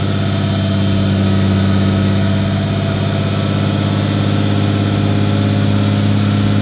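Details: Toyota 2JZ-GTE straight-six after new GSC valve seals, timing components, turbo setup and AR5 transmission, intercooler piping fitted: steady, even idle with smooth low hum, no knocks or ticks; healthy.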